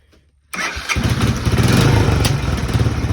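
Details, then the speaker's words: Honda 300 Fourtrax ATV, bought not running: the single-cylinder fires into a lumpy, uneven idle that won't settle, then dies immediately; cause unknown. "Dies immediately. All right. Well, I mean, it was idling."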